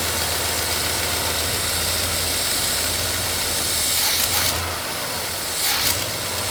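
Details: Grandfather's GMC truck restored after nearly 40 years, first run, may need more timing, slight blue smoke from oil on manifold; steady hiss over weak unsteady idle that sags, a large vacuum leak, source unknown, intake leak feared, not confirmed.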